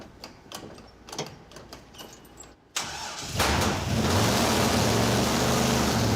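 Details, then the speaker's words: '56 Chevy field car V8, first fire after a new roller camshaft install: a few cranking turns, then it catches into a lumpy, uneven idle. Ignition timing is too retarded (24° running, about 10° initial) and will be advanced. "The ignition timing's too retarded, so I'll advance it a little bit. That was running at 24 degrees, and Yeah. initial was like 10. That's why it was bleh."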